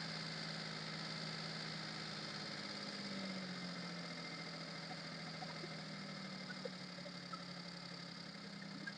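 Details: Maruti Suzuki Alto after fixing high-idle over-racing on start: smooth even idle settling to about 750-800 rpm with steady low hum, no hunting or surging; problem solved.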